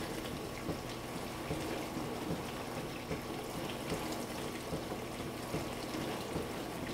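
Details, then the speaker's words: Frigidaire LFBD2409LF2B dishwasher, two years old (bought 2015), diagnostic test step 5 WASH HEAT, wash motor and heater activated for 75 seconds; steady water swish and spray with low pump hum, even throughout. Normal wash cycle. "the word step 5 wash heat the wash motor and heater are activated this test runs for 75 seconds"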